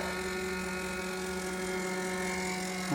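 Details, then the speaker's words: 2004 Blue Bird bus with an 8.3 ISC Cummins and CAPS injection pump, newly installed FASS IND165G lift pump, key on before starting: a steady, even electric buzz as the pump primes. Normal, though a leak appeared at the new hose fitting. "I'm going to go back and see if that pump's running oh yeah you could hear it Buzz along"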